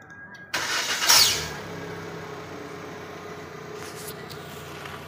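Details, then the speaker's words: Proton Saga MC2, early-morning cold start: short crank, engine catches with a bright metallic whir, an extra abnormal noise after starting, fading into steady idle; owner wonders if it is a starter problem, cause unclear. "if you start the engine early morning there's an abnormal sound this sound is abnormal there's an additional sound after the engine is start could this be a stutter problem"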